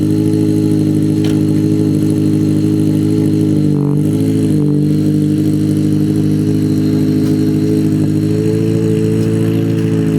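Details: Ford Focus SVT first start after Truebendz catback install, catalytic converter gutted: steady, smooth mid-pitched drone with a couple of brief revs that dip and recover; exhaust quiet and even, no rattles or leaks.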